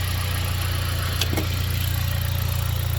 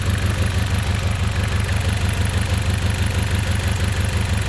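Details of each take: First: 2010 Dodge four-cylinder after replacing the failed ignition coil: an even, steady low idle with a regular beat and no misses, now running smooth on all cylinders. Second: Engine idling rough, smelling of unburned fuel: idle lopes at about two pulses a second; unplugging this coil changes nothing, so the ignition coil is dead and one cylinder misfires; coil needs replacing.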